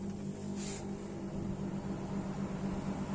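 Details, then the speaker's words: Split air conditioner outdoor unit after replacing the fan motor capacitor, whose failure had slowed the fan and tripped high-pressure protection: a steady fan rush at higher speed with an even low compressor hum. Normal running. "Yo creo que ahí ya se dieron cuenta cómo arrancó y que se nota la mayor velocidad y el viento que está tirando."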